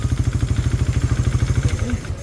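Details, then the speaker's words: Raider 150 Fi, connecting rod replaced at a previous teardown, run hard with an open pipe at New Year: rough, hard knocking at about twelve beats a second over a low idle, loud and uneven; loudest noise traced to the piston, piston slap. "So, yung pinakaingay na naririnig natin is mula sa piston"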